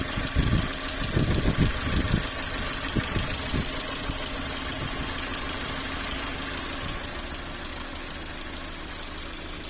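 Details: Lada Granta 11182 engine, 13,900 km, warm idle: light tick about three per second coming and going; stethoscope places it at cylinder 2, slightly 4, near plugs; unplugging plugs changes nothing; source unconfirmed.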